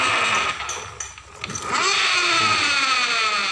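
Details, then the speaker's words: Honda Beat Pop scooter CVT, rear wheel spinning on the stand, after the final drive shaft gear and another gear were replaced: rough gravelly grind with a rising whir, about four pulses a second, also bad in reverse rotation. Final drive gear noise persists, cause unconfirmed. "ketikan suaranya masih ada suara ashar di daerah tadi gigi CPT ketika jalan ke depan kalau ke belakang juga parah banget"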